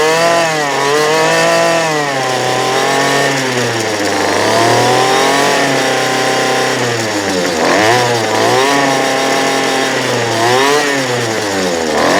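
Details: 2008 Poulan Pro PP25E 25cc straight-shaft trimmer, abused, with misrouted fuel lines and a clogged carb screen, running again: high two-stroke buzz climbs and falls smoothly with throttle blips, picking up cleanly; smoking off garbage, still needs carb adjustment.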